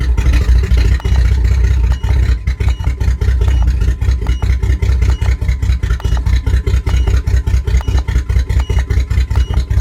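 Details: 1997 Jimmy misfiring at idle while live data is read: deep chugging about two and a half beats a second with uneven, stumbling pulses. Steady idle misfire, cause unknown.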